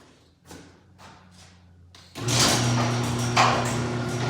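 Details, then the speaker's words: Garage door opener after spraying with 3-in-One garage door lube runs with steady low motor hum and no squeaking, much quieter than before. "That sound a whole lot better. Yeah. That made a world of difference."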